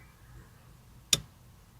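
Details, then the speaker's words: NB Mazda Miata under restoration, no-start with fuel pump suspected: key on gives a single sharp fuel pump relay click under the dash, then no pump hum or whine; relay works, fuel pump dead and confirmed as the problem. "Actually, I heard a click from here under the dash, and I think the relay is working because it's clicking."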